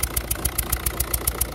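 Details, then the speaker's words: Peugeot/Citroën-type 1.6 HDi diesel idling unstably with blue smoke: a sharp puffing tick about seven times a second from a loose injector leaking combustion gas past its seal; the fix was retightening the injector. "ça c'est un problème de l'injecteur qui été desserrée voulait bien resserré"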